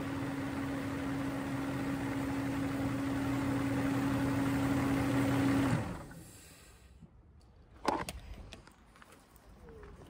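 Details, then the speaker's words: Mercedes W140 V12 M120 started with the air filters removed, intake open: steady, even engine drone with a faint fine airy hiss from the intake suction, then shutdown. "je me suis aperçu qu'il y a un bruit différent sans filtre on entend le sifflement fin l'aspiration comme un sifflement"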